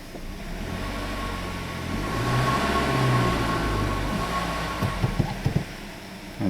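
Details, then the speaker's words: 2008 Kia Rio, manual transmission, after tune-up fixing cylinder three misfire: revs climb and hold steady under load with smooth drone, no stumble or bucking, where before a throttle snap gave a bump; no more misfire. "l right let's see what she does feels smooth definitely not feeling any more misfire feels steady"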